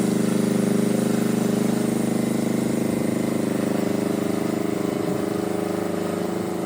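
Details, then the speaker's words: Power Pony with a two-cylinder Perkins diesel, after bleeding the fuel system (suspected run dry, petcock off): even chug at a steady pace, no misses or stumbles; normal running. "so it's a bit unique and when it's going runs awesome runs on the smell of an oily rag"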